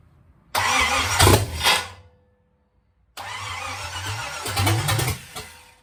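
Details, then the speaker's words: Bone-stock Chevy 305 small-block V8, leftover engine intended for a 1953/54 Dodge tow truck, first fire-up: catches instantly on two short starts, settling into a steady, even run; healthy, running on all eight cylinders. "there we go that was easy enough so it looks like we got a runner doesn't sound too hateful I mean it's just a 305 it's bone stock but at least it has all eight cylinders now"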